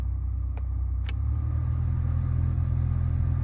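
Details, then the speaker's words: 2015 Nissan Versa Note SV cabin A/C blower at speed one after removing a mouse nest, droppings and insulation from the blower housing; steady, smooth low whoosh and hum, quiet with no rattling. Normal blower operation after cleaning. "I got that insulation out of the blower, which I think was the major problem. Uh, I got the car turned on. Let's see. Let's put it on one. If you could hear that. It's pretty quiet."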